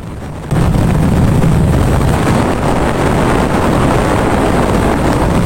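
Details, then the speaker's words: Honda Astrea Grand single-cylinder, hot engine on a long test ride after combustion chamber repair and valve compression-leak fix: steady even drone under wind rush, no more rough noise from the head; normal running. "Nah untuk suara mesin tetap adem anteng ya untuk suara mesin tetap adem dan anteng tidak ada suara kasar lagi di bagian headnya"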